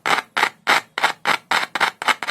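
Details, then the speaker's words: Larger audio speaker tested with only a single cell touched to its wire, no multimeter or amplifier: nine crisp, clean pops about every quarter second with no rasp or buzz; coil and cone are healthy, so it will work. "अगर इस बड़े speaker में आवाज़ अच्छी है, तो यह वाला भी ठीक है। इसकी कॉइल, स्क्रीन, सब कुछ ठीक है।"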